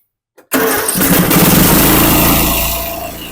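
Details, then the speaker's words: Snapper 150Z zero-turn mower, 21 hp, 42-inch cut: it cranks but won't start on choke alone, then with carburetor cleaner sprayed in the intake it catches at once into a steady, rough-edged run; choke shaft found broken. "it turns over put the throw it all the way up choke on it turns over [Laughter] NADA but you just spray this a smidge in the carburetor cleaner in the intake there and it starts right up"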